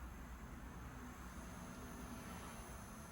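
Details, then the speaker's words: Newly built pulley-driven rock tumbler with variable speed control, just switched on; soft, even low hum with no knocks or gear chatter, very quiet unlike the old gear-driven one: normal quiet running. "Very quiet, unlike the old gear-driven one."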